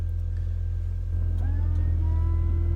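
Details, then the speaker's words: 2004 Mini Cooper R50, engine idling: rear washer pump motor whirs to a rising whine and keeps running while rear wiper moves, but no fluid sprays; owner suspects clogged rear nozzle. "When I turn on the rear wipers and I try to spray washer fluid to clear the windshield, you hear the motor. Listen, see if you can hear this. Nothing's happening though. So the wiper arm moves, but no fluid comes out the nozzle."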